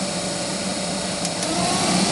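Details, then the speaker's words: GAZ Gazelle heater blower motor removed and bench-run at speed 3, loud steady whirring hum with low drone; worn bushings suspected, to be disassembled and lubricated. "скорость 3 sport это громко низкая может быть у газели так оно и есть но мы все равно мы сейчас разберем и это смажем посмотрим втулочки там или че там стоит у нас скорее всего втулки"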